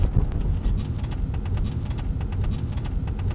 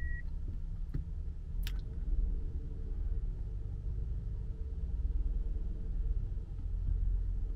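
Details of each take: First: Older Hyundai Grandeur TG: short, sharp creaks over road rumble from behind the rear seat. The frame welds seem to have broken, causing play and steel-on-steel rubbing; a slight noise also came from the rear shelf. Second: Older Hyundai Grandeur TG after repair of sharp rear shelf noise, caused by the frame behind the rear seat, likely from loosened welds, with metal-on-metal friction: quiet while reversing, only low even rumble, no creaks.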